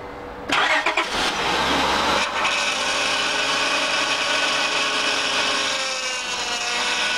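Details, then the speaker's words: 2004 Honda Pilot, cold start before repair. Engine catches, then a loud wavering high whine rides over the idle. The power steering pump draws air through cold-contracted old O-rings on the outlet pressure line and return hose; the fix is new O-rings and reservoir. "in my previous video on this vehicle we talked about how when it's cold the power steering system makes a lot of noise so the cause of this is to oldring's one on the outlet pressure line one on the return hose"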